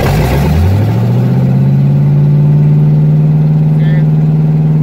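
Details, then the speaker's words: Project car with no exhaust fitted yet. A harsh, very loud bark climbs in pitch, then settles to a steady pounding idle. The loud running is from the open ports with no exhaust. "Really loud. Really fucking loud, but can't wait to get exhaust on this."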